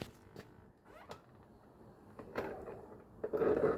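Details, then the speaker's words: 1985 Mercedes 300TD wagon door swinging with panel off: short creaky squeaks and clicks from the door check strap, likely a broken ball bearing inside; to be replaced. "That is the door check strap, which goes right here."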